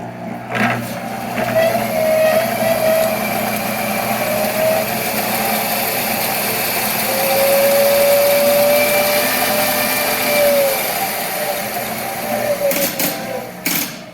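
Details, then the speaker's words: Monarch 10EE 30-inch lathe, first run after about 20 years sitting, spindle turning in reverse: steady, even hum with smooth mid-pitched whir, no knocks or grinding; normal spindle run. "same thing it uh sounds pretty good actually"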